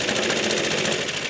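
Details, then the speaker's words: Suffolk Super Punch/Colt lawnmower (manual 75G14-25A), in British winter, after basic maintenance. Small engine runs at a quick, even beat with no misses, knocks or surging and sounds healthy. The mower still won't drive because the centrifugal clutch won't engage; the owner suspects binding. "engine's sounding good though, so that's step one done."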